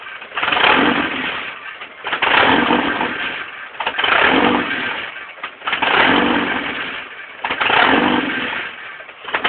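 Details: 1989 Jeep Comanche 2.5L: engine swells and sags about every two seconds, never settling; surging attributed to a bad fuel pump.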